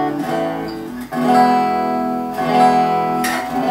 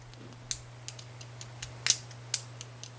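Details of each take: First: Gretsch Electromatic G5120 hollow-body guitar after the bridge saddle rattle fix (springs added inside the saddles to tension the screws), set up and intonated: strummed chords ring clearly and sustain evenly, with no buzz or rattle from the bridge. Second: Gretsch Electromatic G5120 bridge: light, irregular metallic ticks, several per second, as a saddle screw rattles in its slightly oversized or worn hole. The planned fix is springs inside the saddles to tension the screw.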